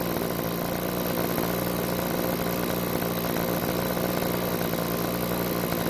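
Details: Backpack blower two-stroke on a test run after carburetor reassembly with the check valves not parallel to the diaphragm: a steady buzzing at one flat speed that never climbs to full speed, showing bogging from misassembled check valves.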